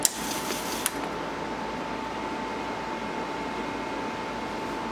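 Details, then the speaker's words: Leading Edge Model D PC, old hard drive previously possibly stuck, first power-up: two sharp clicks then thin steady whine as it spins up; sounds unhealthy, major problem suspected, cause unknown. Abnormal hard drive spin-up noise. "h i I don't like that noise I don't like that noise at all"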